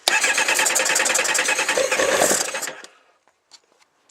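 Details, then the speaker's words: Kawasaki ZX9R Ninja cranked with the fuel tank and air box removed during a winter service of air filter and spark plugs: loud rapid cranking about three beats a second for over two seconds, dies without catching; hard starting. "it doesn't like it with the air box off property doesn't help us"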